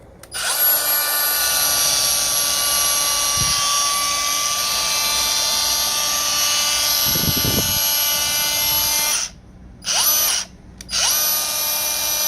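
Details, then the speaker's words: Brand-new Milwaukee M18 CAG125 XPD 125mm angle grinder straight out of the box: it freewheels with a high steady whine and a strained, tight note, spinning down and back up, and smells a little electrical; motor fault suspected. "Doesn't sound right. Doesn't sound very good. Like it was tight in there."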